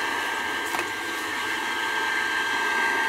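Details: Old Burnham gas boiler with a conversion burner, which had no heat, after its control was rewired to run on the high limit only: a steady, even burner roar with a faint constant hum and no banging, surging or cycling. Normal boiler operation.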